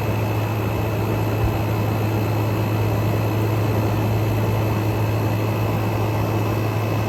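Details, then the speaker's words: Frigidaire Gallery GHWQ103WC1 10,000 BTU dual inverter air conditioner, revived after being trashed: inverter compressor ramping down, 46° air out, steady low hum with a faint high whine, even and rattle-free; normal running. "compressor is ramping down we got 46 coming out as they as it slows back down starting to get a little bit warmer air out"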